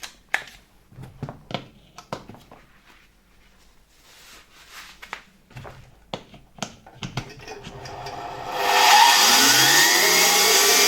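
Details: 1973 Zelmer 01A vacuum cleaner, type 34 commutator motor with two-stage turbine: after handling clicks it spins up to a hissy high whir with a faint scraping; distinct friction, likely the turbine rubbing its housing rather than the motor bearings.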